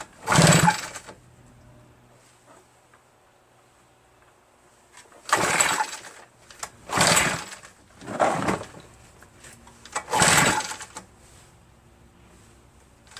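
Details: RedMax EBZ8050 two-stroke backpack leaf blower after new piston rings installed for no compression; very hard to pull, owner suspects rings too tight and lacking cylinder lubrication. Five separate rasping pull-starter bursts with silence between, never catching: hard starting.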